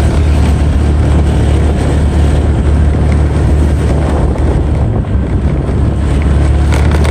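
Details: Honda Vario 125/150 New scooter: the loose front panel rattled noisily on bad roads and speed bumps. After refitting and bolting it, the ride gives a steady rumble with heavy wind noise and no rattle or buzz.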